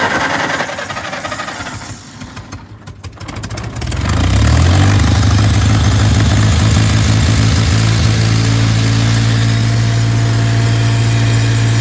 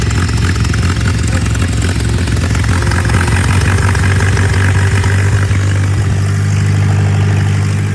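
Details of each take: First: Tractor with brush hog, in neutral, fresh gas just added: engine sags and nearly dies when revved, then recovers to a lumpy idle; water in the fuel suspected, and something is leaking. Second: Tractor in neutral on choke, revved while the air intake is blocked by hand to try to clear a possible carburetor jet clog: a deep, steady, even low thrum with no stumbles; it now idles smoothly.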